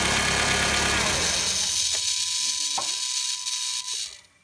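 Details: 2006 Honda Civic EX: a harsh, hissy grinding starts shortly after start-up and lasts a few seconds after shut-off; cause unknown. VTEC solenoid, alternator, belt tensioner, cam and crank sensors and power steering pump were recently replaced.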